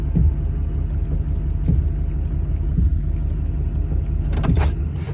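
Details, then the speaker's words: Duramax truck idling; dull motor thumps roughly every second as the power running boards cycle in and out on their own, even when turning, caused by loose wiring melted on the hot turbo. "You guys hear this? That's my steps going in and out. It's so weird."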